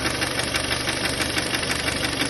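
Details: Kia Sportage 2.0 after removing and cleaning camshaft phase sensors; steady idle with a fast, even light knocking over the engine note, knock remains, cause not found.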